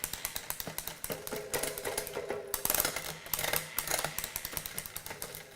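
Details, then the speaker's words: Intense mountain bike in a post-ride check after the chain was wiped, shifting up from the bottom gear; crisp, evenly spaced clicks through each gear with freewheel ticking underneath; the drivetrain shifts cleanly and smoothly. "Just starting from the bottom, make sure everything sounds good. Everything's clicking through the gears nice and smooth."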